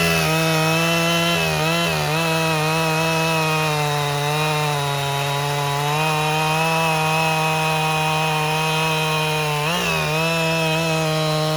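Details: 1997 Husqvarna 371 XP two-stroke chainsaw, rebuilt by a local shop after blowing up, cutting dead red oak firewood in the rain. A strong, steady high-revving buzz dips slightly as the chain bites and recovers quickly; normal running under load.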